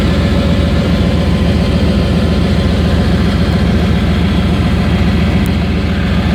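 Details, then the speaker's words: Used Chevy Tahoe V8 just started, no smoke and good oil pressure: loud, deep idle with a coarse puffing edge; catalytic converter has been removed and owner suspects an exhaust leak, probably at the collector, unconfirmed. "i was saying that the exhaust is it sounds like it has an exhaust leak so i'm going to crawl under here real quick and see if i can see what's going on"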